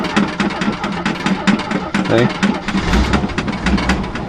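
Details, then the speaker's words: Jeep CJ7 4.2L straight-six with Weber carburetor, sat about a month: lumpy, uneven idle with irregular firing pulses about five a second, stumbling; rough running because fuel evaporated from the float bowl while sitting. "this is what i get with a weber carburetor when it sits i can pump the hell out of it it's been about maybe a month it evaporates"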